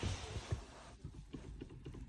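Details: Lada Vesta 1.6, December 2020, about 91,000 km: short dry creaks in irregular bursts as the clutch pedal is pressed, recently appeared; owner plans to lubricate it, gear shifting also somewhat stiff.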